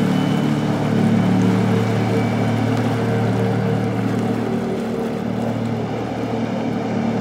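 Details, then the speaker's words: 9.1-inch Scott two-stage waterjet with trim on a 22 ft HCM boat with LSA engine, full throttle in hard-locked tight circles; steady roar with no surging or cavitation; normal pump operation. "this is about the most brutal thing you can do to a jet pump crank it hard lay on the throttle and just start spinning around in circles a lot of pumps just totally let go at that point"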